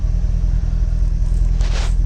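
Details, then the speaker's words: 2008 Chevrolet Corvette C6 LS3 V8, after replacing the spark coil to fix a random misfire on two cylinders; deep, steady, even idle with no stumble or vibration, check engine light off and no codes; normal idle. "Let's start the car and let's see if we have any changes. No more vibration and check engine is off."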